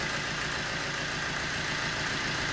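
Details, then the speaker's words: Vauxhall Corsa D 1.3 diesel, started cold and settled: steady, even, quiet clatter with no knocks or misses; normal idle. "one of the quietest I mean I don't know how this comes across on camera definitely one of the quietest 13s I've ever heard these"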